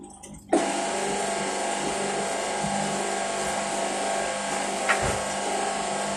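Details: Washing machine starting its spin cycle: once the drum spins up, a steady loud whirring roar with a hissy rattle holds even. Loud noise during spin, cause not identified.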